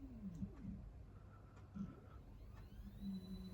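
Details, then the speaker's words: Stepper motor on L298 H-bridge from Arduino Uno, bench supply in constant-current mode; with drive current lowered it desynchronizes, uneven buzzing hum with chirps and wavering whine instead of clean step tone; needs at least 300 milliamps. "we do need to keep it at least 300 milliamps."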